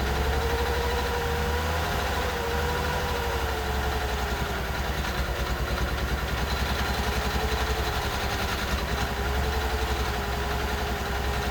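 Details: 1989 Mercedes 300SE, long parked, cold after a hard start, possibly weak battery: idle with steady low drone, wavering mid tone and slightly uneven beat, heavy engine vibration; rough idle, cause unknown.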